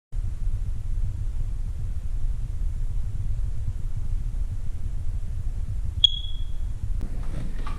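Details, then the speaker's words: Smoke alarm on two AA batteries: single short high-pitched chirp over a quiet low room rumble; the low-battery warning meaning the batteries need changing. "Did you hear that? That means I have to change the battery to the smoke detector."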